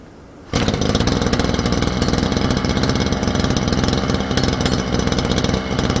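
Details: Small two-stroke brush cutter, cold start by recoil pull with choke then choke off: catches at once and settles into a quick, even buzzing idle with no stumbling; starts and runs cleanly.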